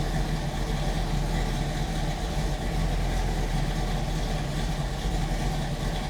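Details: 1967 Chevrolet Camaro RS/SS, numbers-matching 396 big-block V8, Edelbrock 4-barrel carb, HEI, Turbo 400 automatic, under the hood: steady, deep, even idle with a low rumble, no knocks or misses; healthy.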